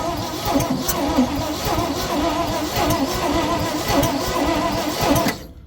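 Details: 1970 Ford F600 dump truck, first start attempt in years, fuel just added: starter cranks steadily about five seconds with rhythmic compression pulses but never catches; owner fears it is flooded.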